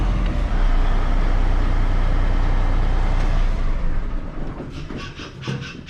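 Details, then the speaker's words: 2022 Kenworth W990 log truck, Cummins X-15 diesel, idle bumped up briefly after a fuel filter change at about 19,000 miles: deep, steady rumble at fast idle easing down smoothly, no misses or knocks; normal raised idle. "Maybe we'll bump the idle up here just for a second, and yeah, it seems to be going okay, so I think we're good."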